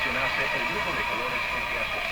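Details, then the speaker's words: Emerson 34C tombstone tube radio from around 1935 on shortwave at only about 80 volts: a steady high wind-like howl around 2.5 kHz over hiss and garbled signal; owner guesses weak decoupling capacitors. "the howling sound you hear sounds like wind sounds like a howling"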